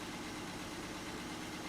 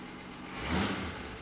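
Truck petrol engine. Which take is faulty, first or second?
second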